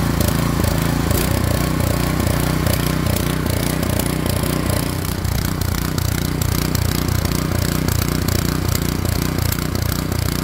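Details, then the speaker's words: Craftsman 24-inch snowblower, model 247.889571, 179cc engine, running after its speed was raised from under 3,000 to about 3,600 rpm: a fast uneven, stumbling beat with irregular pops; sounds rough, cause unclear. "this one sounds rough right now cuz I'm runn"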